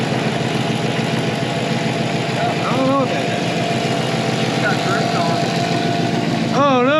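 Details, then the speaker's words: 1960 Chevrolet Apache shop truck driving off after emergency transmission swap for unplaced noises from the cab: even steady engine run under music, no clunks or whine; the earlier noise is gone and it runs healthy. "and away he goes it's it's it's running once again yay"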